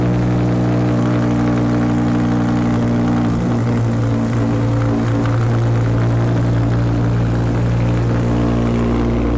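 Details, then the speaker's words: Audi R8 V10 with Quicksilver exhaust, cats retained, after replacing corroded camshaft control solenoids for fault P0019: idles with a steady, even low drone, no more misfires or stumbles. "Okay, so we fired up the R8 and straight away we can tell that it sounds fine. There's no more misfires, definitely not. It sounds good."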